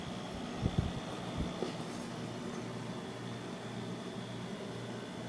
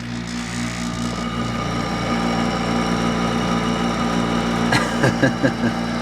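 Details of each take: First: Vintage 1991 window air conditioner on lowest fan setting: only a soft even hum and faint airflow, no rattles or whine, almost inaudible; normal fan on low. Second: Hampton Bay by LG 8,000 BTU window air conditioner, only a few years old: steady droning hum with a rough, uneven undertone and a few clunks near the end; the motor sounds worn, possibly its bearings.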